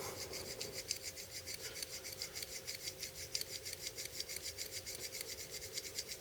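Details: BL06 folding knife, new out of the box, stiff due to detent issue: quick even dry gritty rasps about five a second, each open-close scraping harshly, during rapid break-in before lube and T9 pivot screw adjustment; stiff dry pivot.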